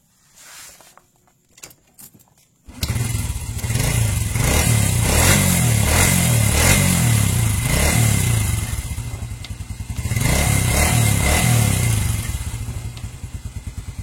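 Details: Old Honda Revo motorcycle started after an ignition wiring check, where the CDI output wire was found touching the body; it catches after a few cranks, then settles into a steady, even beat and revs cleanly; normal running.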